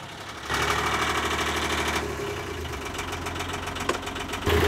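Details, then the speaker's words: Old Yanmar marine diesel started to circulate oil around an oil change: catches after a brief crank, then a steady, even idle clatter with no odd knocks. Sounds okay; normal start and idle. "It sounds okay, so I'm tempted to let it run for a bit."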